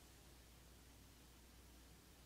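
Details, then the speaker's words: Rode Wireless Go II receiver on a Panasonic Lumix G7 via an extended cable, kept at least four feet from the camera: the buzzing is gone, leaving only a quiet hiss and faint hum; the camera's Wi-Fi is suspected of causing the RF interference. "Buzz is gone. In order to make this happen, the receiver had to be at least four feet away from the camera."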